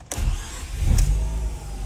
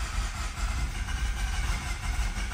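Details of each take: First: 2011 Mazda RX-8, 1.3 L naturally aspirated rotary, previously flooded; brief crank catches at once and settles into steady deep idle; engine started, alive again. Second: 2011 Mazda RX-8, 1.3 L naturally aspirated rotary, low compression; long even cranking drone with no firing pulses; badly flooded, no start.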